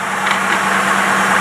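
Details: Engine test-running a Rochester two-barrel carburetor in for rebuild; smooth, steady idle with an even low hum and no misses. The idle sits somewhat high, which suggests possible vacuum leaks.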